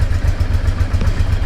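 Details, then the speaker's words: Honda Deauville NT650V warmed up at idle on the old, previously modified exhaust before replacement: deep, steady low thump of the twin, about five even pulses a second, with no obvious blowing or ticking. "what I wanted to do was let you hear the old exhaust so I warmed up that's the old exhaust"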